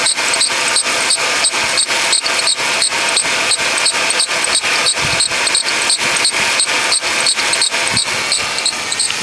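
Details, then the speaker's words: Worn idler pulley bearing on a 2006 Ford Taurus 3.0L V6 at idle: a sharp, high-pitched chirp about three times a second over the engine. It was worse a minute earlier and also causes serpentine belt wear; the pulley was replaced. "so now it's actually calmed down quite a bit it was pretty bad just a minute ago but uh you hear that chirping and then"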